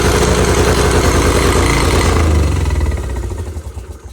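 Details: 1986 Honda Fourtrax 70 ATV restarted after a stator replacement, carb adjustment out of whack, air cleaner off, choked and spitting gas: the small single races at a fast idle well above normal, then fades away. High idle; owner hopes refitting the air cleaner will help.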